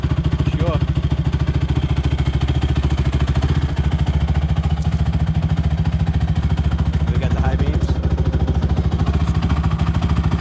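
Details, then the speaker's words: Rebuilt Honda TRX450ER single-cylinder ATV on a ride up the street through all the gears: a deep, even, steady thump with no knocks or misses. It runs nice and sounds good after the rebuild. "all right guys it's all done right up the street goes through all the gears runs nice sounds good"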